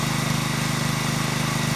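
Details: Small petrol engine (lawn mower or pressure washer type) after a carburetor pilot jet cleaning fix for surging, now running at an even, steady idle with no rise and fall in revs.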